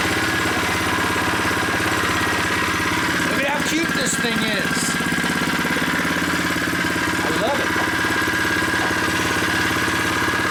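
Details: New unboxed Predator 79cc single-cylinder engine on first start, freshly filled with 0.37 quart oil, no choke: a steady rapid putter at an even idle while warming up, with no misfires or knocks; it sounds solid.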